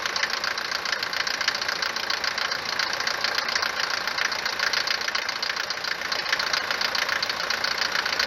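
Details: Mercedes W124 190 D four-cylinder diesel idling on a morning start: harsh, loud, uneven rapid clatter, far louder than normal Mercedes diesel knock. Suspected causes are a worn cylinder or piston, the injectors (the owner already replaced them), or injection pump timing advance; unconfirmed.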